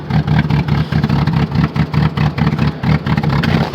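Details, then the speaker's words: Rough 0°F cold start with uneven, lumpy running and a fast, irregular rap-rap rapping over the low engine drone, likened to a rotary; it sounds terrible and the cause is unknown. "oh yeah here you go oh oh she sounds terrible sounds like Kim v8 oh you poor car oh [Music] hey so sorry it does not want to let go take that sounds terrible sounds like a rotary rap rap rap rapping rotary Wow"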